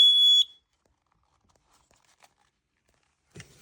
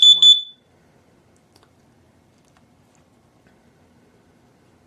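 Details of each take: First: Kidde/Dometic battery-powered carbon monoxide alarm, tested in a van with a tube from a car exhaust: one sharp, shrill beep under half a second, then quiet with handling noise, as the CO alarm goes off. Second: Kidde AA battery-powered carbon monoxide alarm on test-reset gives short, loud bursts of shrill beeps, about four pips per burst with quiet between; normal self-test.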